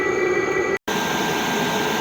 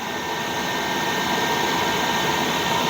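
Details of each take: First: Chinese 8 kW diesel air heater running at full capacity, heard outside at the exhaust: steady roaring combustion rush with a thin, constant high whistle; owner suspects exhaust flowing through the pipe, may fit the muffler to cure it. Cause unconfirmed. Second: Chinese 8 kW (27,300 BTU) diesel air heater just installed in a garage, moments after the burner lit with warm air from the ducts: steady rushing roar like a small blowtorch with a faint high whistle on top. Normal burner operation.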